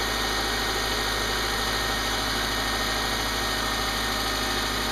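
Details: Subaru with P0302 cylinder 2 misfire, previously shaking with arcing coil pack, after repaired crimped spark cable: smooth, even idle with steady hum, no stumbles or misses; running cleanly on all cylinders.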